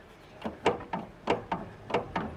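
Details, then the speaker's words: Sharp metallic knocks in quick pairs as the front wheel is rocked by hand, from free play of nearly 2 mm in the worn tie rod end on one front side. "eu vou encerrar esse vídeo aqui porque esse aqui é dica de de demonstração do barulho né Desse taac tac pa pac que tem aqui na num lado do do carro né na dianteira"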